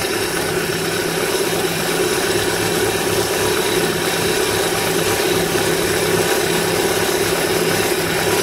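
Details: Idle after replacing an old, long-creaking belt tensioner: steady, even hum with no creaking or chirping from the belt area; the belt drive is quiet.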